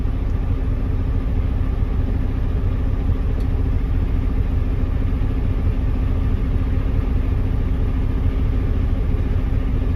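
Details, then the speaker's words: Class A truck diesel idling during air brake test, compressor rebuilding air from about 90 psi toward 120–140 psi: steady pulsing chug about 140 a minute; normal, governor cut-out hiss expected when tanks fill. "We're waiting for the air compressor to build back up between 120 and 140 PSI, listening for the air compressor to make a hissing noise, let me know that the governor kicked out"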